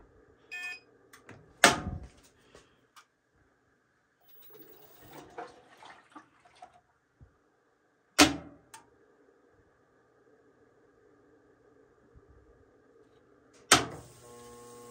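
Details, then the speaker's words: Amana front-load washer showing LF code, tested on delicate cold fill: long quiet stretches and odd clunks, then a loud hammering bang into a steady buzzing hum while barely filling; failing cold water inlet valve (WPW10212596), to be replaced. "that's a loud Hammer noise right there"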